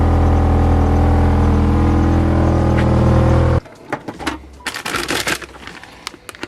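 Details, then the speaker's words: Mini Cooper idling after coolant bleed (overheating blamed on air lock): smooth, steady idle with even beat, no misfire; no head gasket symptoms found. "This engine also does not misfire. It doesn't run weird at all. It runs nice and smooth, as you guys have already seen."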